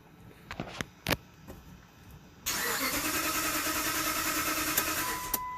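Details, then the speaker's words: 2007 Dodge Ram 1500 5.7L Hemi cranking at an even rhythm, about three strokes a second, never catching; scan shows crank sync, RPM and no security issue but no cam sync, three-wire Hall-effect cam sensor suspected. "you could see that there everything was reading good i had no security issue we had engine rpms we had crank sync but no cam sync"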